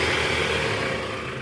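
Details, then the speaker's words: Toyota Alphard Gen 1 ANH10, 2.4 L 2AZ-FE, in R with AC on at about 1100 rpm after replacing weak fan-belt tensioner: steady even engine hum, no rattle or chatter from the belt drive; tensioner normal, though a cracking noise near the oil pan suggests worn balancer shaft. "Oke sip. Bunyinya udah hilang guys. Ini memang dari tensioner SI tadi ya."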